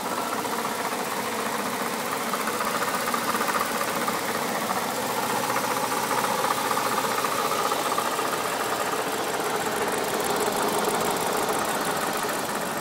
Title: N62B48 "clicking" noise (water pump failed)